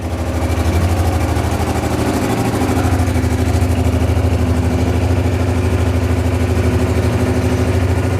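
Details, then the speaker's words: Honda XRV750 Africa Twin just revived after 10 years stored, running on reserve fuel after corroded fuel-pump fuse; even, steady low thump about three beats a second, no misses or knocks; healthy twin idle. "It sounds pretty darn good."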